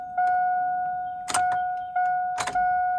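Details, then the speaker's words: GMC/Chevrolet 1500 pickup after fuel pump replacement, key on with about 15-20 gallons added: steady electric hum with a faint higher note, cutting in and out with a couple of clicks; new fuel pump priming normally. "So we're gonna get this thing, let this thing prime. I hear it working."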